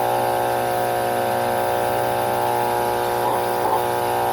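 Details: Alita 60 diaphragm air pump test-run during a rebuild: strong, even buzzing hum with no flutter or rattle, faint lawnmower behind; both sides good, lots of air, running healthy.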